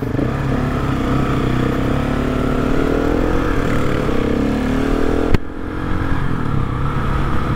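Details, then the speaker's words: GasGas SM700 supermoto revving: faint climbing whine and light scrape, then sharp click; dealer found engine fine, noise normal, amplified by metal skid plate fitted under engine. "Абе, май то си звучи по същия начин. Ще излезе, че си въобразявам. Явно този шум си е нормален."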